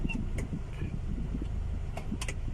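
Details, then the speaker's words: Honda City after repair of cold-engine shaking and stumbling worse with AC on: idle with AC on and in gear, low steady hum with no shaking or dips; now idles normally and settled. "รถเดินเบาปกติเลยนะอ่าอ่ะแต่ถ้าไม่มีการสั่นนับไม่มีอาการกระตุกนะผมเครื่องยนต์เดินนิ่งครับ"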